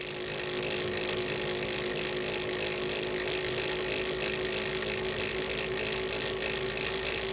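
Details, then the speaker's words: Tsubaki RS80 standard roller chain on two sprockets, 1 kN load, 100 m/min, test rig about 75 dB (58 dB without chain): steady, even chain rattle with bright hiss and constant meshing tone, no knocks; normal meshing noise. "next we have rs80 standard roller chain the chain is attached to both sprockets then a 1 Kon load is applied next the chain speed is increase to 100 m per minute"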